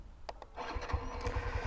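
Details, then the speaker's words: Fuel-injected Xtreme 125 motorcycle, key on and waiting about 5 seconds for the fuel pump to prime: a couple of quick starter clicks, then the engine catches within a second into a light, even putter without throttle; normal start. "Start কিন্তু হয়ে গেছে। এটা কিন্তু throttle কিন্তু টানা লাগে নাই।"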